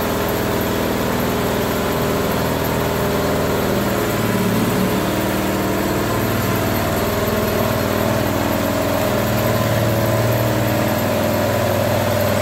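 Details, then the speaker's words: Bobcat skid steer with Harbor Freight Predator 670 22 hp V-twin swap, old exhaust smoking as paint cures; steady even idle with hydraulic whine behind; normal idle, engine starts and runs. "Smoke's gotten better as the paint cures off so I'm gonna have to figure that out at least it moved starts and runs now"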